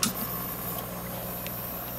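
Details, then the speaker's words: Odyssea 18" 150W metal halide pendant, owned 6 months: soft steady hiss with faint low hum as the metal halide lamp warms up slowly toward full brightness; normal warm-up. "you'll hear the B hissing as it warms up as you can see the light slowly starting to turn on now you know as with any metal hay they take a little bit to warm up"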